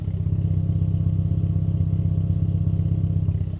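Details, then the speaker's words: Toyota Celica GT4 that sat 10 years and had a whining fuel pump, run after fuel system checks: even, steady low idle with no fuel pump whine; healthy idle. "That's how it should be. I don't know if you're picking that sucking noise up. That's the air filter."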